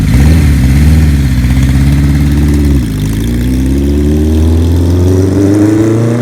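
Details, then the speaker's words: 1975 Kawasaki Z1 900 four-cylinder after restoration and cam cover work, heard from behind: catches and runs a smooth even beat, revs lift cleanly with no knocks or misses. Healthy running. "what thing sounds good from back here"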